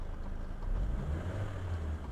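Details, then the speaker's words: Suzuki Ciaz at idle after throttle body cleaning and CVT/ECU reset to fix sluggish running and low, shaky idle: smooth steady rumble at normal 700 rpm, no hunting, flaring or shaking, with A/C on or off. "ครับรอบไม่มีการชุดขึ้นเด้งขึ้นไปใหม่นะครับจะตกเข้ามาอยู่ที่ระดับปกติ700รอบนะครับ"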